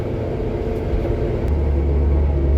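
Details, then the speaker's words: 1973 Jeep Commando with AMC 304 V8, 3-speed manual 4x4, after carb rebuild and tune-up, driving in low gear: deep, even rumble swelling as it pulls with no stumbling or knocking; normal running under load. "Hell yeah, Hot Rod AMC 304, baby. Anyway, this thing is running tits."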